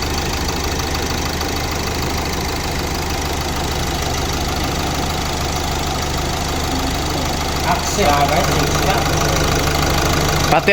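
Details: 2018 Hyundai Accent 1.6 CRDi diesel after repair of a piston number 2 misfire and knock; even diesel clatter at steady idle with no miss or heavy knock, engine sounds healthy.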